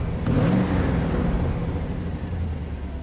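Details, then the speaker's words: 1998 Chevy K2500 Silverado 5.7 L, restarted after injector fuel-pressure-drop tests showed injectors close to each other: V8 idle still shakes with an uneven, stumbling lope and periodic dips, a single-cylinder misfire on cylinder 5, smooth under load; the plug looked very bad. "still got that misfire so under load it's actually pretty smooth but idle man it it really shakes"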